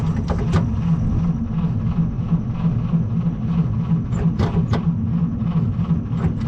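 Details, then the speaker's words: 1937 Chevy Master Deluxe coupe, unrun for about a year and a half, battery weak: starter drags engine slowly at about three labored pulses a second without firing; slow cranking. "Okay, so it's not turning over fast enough, so I got my little maintainer."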